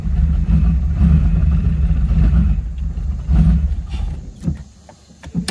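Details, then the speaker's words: 1986 Camaro (third gen) off the road 15 years, new fuel system, driven down the street: engine surges and sags with irregular coughs at part throttle, stumbling, cause unknown; weak battery noted. "see how she's coughing and carrying on at partial idol"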